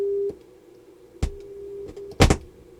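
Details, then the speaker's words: Harman Kardon PM665 amplifier, tuner/phono input troubleshooting: a strong steady test tone on the good channel, then the same tone barely audible amid probe clicks on the other; little gain, transistor suspected but tested good. "you can see I don't have near the gain. See that? That's that channel. That's that channel. You almost can't hear it. So I think we have a bad transistor right there."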